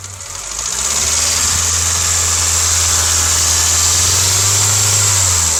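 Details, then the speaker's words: 2007 Honda Civic LX coupe petrol engine, 168,000 km, switched from synthetic to regular oil, idling warm with a bright, busy metallic rattle over the low hum; owner doesn't know the cause. "Hey guys, this is what my car sounds like when it's warmed up."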